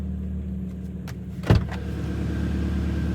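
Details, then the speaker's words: 2011 Kia Cerato 2.0 G4KD automatic, about 184,000 km, after cylinder sleeving and full rebuild for piston knock and scored cylinders: first start, steady low idle hum, no knocking, ticking or errors. "Ну самое главное мотор работает тихо никаких посторонних шумов ошибок нет"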